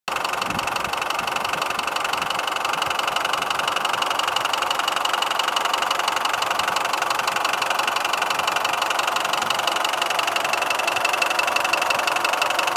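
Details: Mitsubishi 4D56 turbo diesel idling, cylinder head replaced two months earlier, injection pump rebuilt, injectors cleaned, new turbo; sharp single metallic knock near three per second, loudest at manifold side; valves checked; cause was timing marks shifted by a broken crankshaft keyway.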